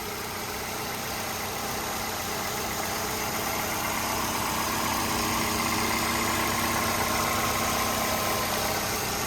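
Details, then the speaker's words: 2011 Ford Fusion SE, recorded in the engine compartment: steady, even idle with a soft hum and no knocks, ticks or vibrations; normal idle. "right as you guys can tell very smooth running engine no odd noises or vibrations"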